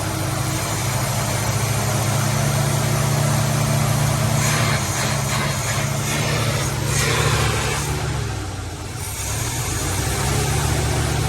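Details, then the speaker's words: 1950 Plymouth Deluxe off the road for 23 years, now running from a gas can through the engine's own fuel pump, with a poorly working choke, holds a low, slightly lumpy but steady idle with no knocks. "so we got it now so that it idles all on its own it's using the fuel pump on the engine and uh we're just kind of coming out of this gas can choke doesn't work great but it does idle"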